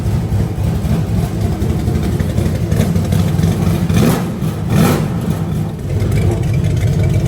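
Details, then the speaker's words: Burnout truck V8 after upgrades (milled heads for more compression, larger cam): a deep, throaty rumble, steady and even, with two clean rev blips. Runs normally, throatier than before. "Definitely sounds a little different. She sounds a little throatier, I'd say. Yeah. Well, it's that compression, man."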